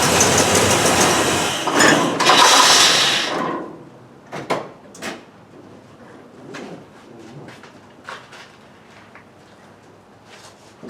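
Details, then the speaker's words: 1968 Cadillac DeVille convertible with new Amazon carb and divorced choke just re-bent; choke not fully open. Loud hiss, owner thinks fuel blowing out the carburetor, then sparse uneven chuffs after shutoff: dieseling run-on, possibly choke-related. "you could see it's still doing a little bit of dieseling um and that hiss sound you know sounds like it's blowing fuel out the carburetor um and that's why it's making that sound"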